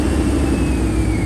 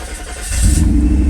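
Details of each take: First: 1991 Mercedes 500SL (R129) that stalled hot and wouldn't restart, after cap and rotor cleaning: hot restart fires right up into a steady, slightly uneven idle with faint wavering whine; cam sensor not yet replaced. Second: 1991 Mercedes 500SL R129 after cap and rotor cleaning and cam sensor change, previously hard-starting and stalling when hot: brief crank, catches and settles to a steady smooth rumble, idle dipping slightly then recovering, no stall; normal start.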